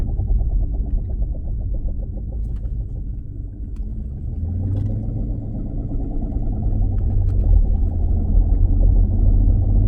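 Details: 2016 Dodge Challenger Scat Pack while driving: deep steady droning rumble under the car that swells with road speed; driveshaft carrier bearing failure, repair means removing exhaust and driveline and replacing the dealer-only carrier bearing.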